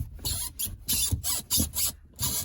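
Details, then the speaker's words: VAZ 2115 gear shift lever after a bushing replacement (previously rattled): dry rasping creaks with each movement, from friction in unlubricated shift parts; fix is removing the boot and lubricating. "рычаг издает этот звук. Ранее втулку заменили, потому что рычаг дребезжал . Теперь, со временем, появился скрип ."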